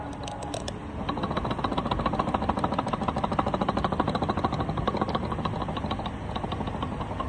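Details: BMW X3 steering rack, removed and worked side to side: quick hollow clunks about three a second from free play; the car clunked when steering and rattled over bumps before the rack was repaired.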